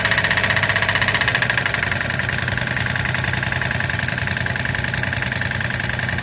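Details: 2008 Daihatsu Move L175, naturally aspirated KF engine, 4AT, 180,000 km, lost power on the highway and burned about 1 L oil per 1000 km; rapid sharp metallic tapping over an uneven idle; number 2 piston pin found with very large play.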